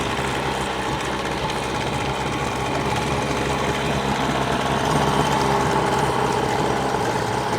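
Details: New Hangkai 18hp two-stroke outboard on its first run, during the 10-minute break-in, running in a water-filled trash can at fast idle. Steady, even buzz with no knocks, misses or surging; normal idle.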